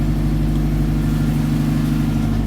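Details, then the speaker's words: Honda K24 swap with TSX power steering pump, 6 AN lines both sides, belt slightly too long, priming at idle: steady low drone with thin constant whine; pump extremely loud, owner unsure if a bad line. "So you can hear it whining a little bit. Oh yeah, look at that. One finger, but it is making a shit ton of noise."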